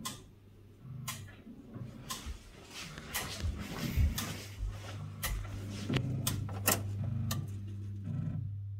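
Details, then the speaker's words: Chaffoteaux & Maury Nexia boiler control board after repair of blown-fuse damage and reinstallation; sharp uneven relay clicks about every half second over low hum; loose contacts when the board is moved. "Elle fait quand même ce cliquetis, c'est bizarre là. Il y a des faux contacts quand je bouge la carte. Il y a du bordel là."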